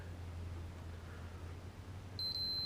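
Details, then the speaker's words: Fluke meter on continuity checking fuses on a 2006 Can-Am Outlander Max 500 with battery trouble and no ECM communication: quiet hum, then a steady high beep starts and holds; continuity, fuse good. "so I got it where when you touch these two it makes a nice beeping sound that way you know you're getting a connection"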